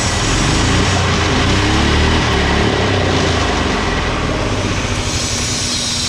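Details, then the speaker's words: 18 hp go-kart engine after replacing a spring with heavy wire: loud, steady high-rev drone that never drops to idle because the throttle return spring popped off, possibly not fitted securely; spring to be refitted and pinched. "the spring I had right here to pull it back to return to idle popped off. I'm not sure how."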